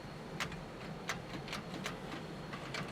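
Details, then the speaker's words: 1970 Chevrolet K10 4x4 pickup abandoned 26 years, start attempt: only scattered sharp clicks about two a second, no cranking, after turning over a moment before; green corroded cable ends. "now what you're just turning over a second ago come on for cheese and rice loose cable"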